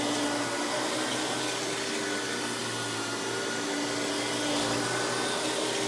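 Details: Hoover PowerMax Supreme 850 S3609 1990s canister vacuum, non-original hose, high speed with power brush on: even constant motor whine with smooth airflow hiss, no pulsing, rattle or belt slap; runs very smooth, not the quietest; normal running.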